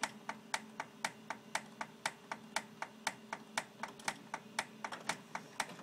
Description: It make this noise while warming up and then when printing. Prints come out normal.